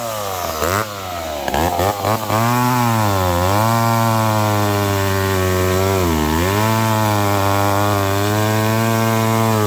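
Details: McCulloch Pro Mac 1010 two-stroke chainsaw cutting wet wood with a dull chain: revs drop sharply each time it bites, bogging under load and cutting to the right; much better than before but not 100%.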